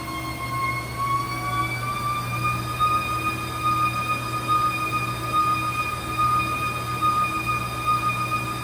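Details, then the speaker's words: Treadmill after new belt, idle roller, springs and incline motor replaced: steady high whine over motor hum at top speed, climbing in pitch as belt speeds up through 2 to 8 mph; new noise, source unknown. "g, like metal on metal contact, but now there is a new noise since installing the new belt, and the technician was unsure where it was coming from."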